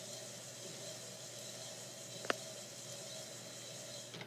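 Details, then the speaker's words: Mazda ring and pinion gear set, about 0.0007 in runout, backlash 0.003-0.0033 in, turned by hand without lubrication: quiet even hiss of teeth with no grinding, one light tap; smooth, properly set-up gear mesh. "as you can hear this gear is very quiet in operation unlike the gear we had posted just the other day very smooth"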